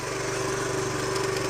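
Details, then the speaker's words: 2007 Honda CT110 sat three years, choke on, idling: fast loose metallic rattle over exhaust beat, louder when leaned over; slack timing chain needing adjustment. "You can the timing chain sounds really loose in there. Lean it over. You can actually hear it rattling."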